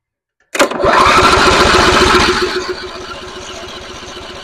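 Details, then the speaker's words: Simplicity rear-engine mower abandoned 32 years, first start attempt with primed carburetor: starter chugs three to four turns a second, engine fires briefly but dies back to cranking and won't run; choke issue suspected. "I think we got a choke issue here what do you hear that it it it it fired let's try this again but with a little chokage"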